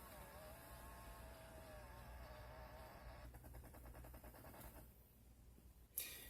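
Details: Chrysler Town and Country HVAC diagnosis, key in accessory position: mode door actuator moving to window defrost gives a faint small-motor whir, a brief run of light even ticks and a final click, working normally.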